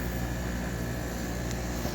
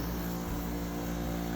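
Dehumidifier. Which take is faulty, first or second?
second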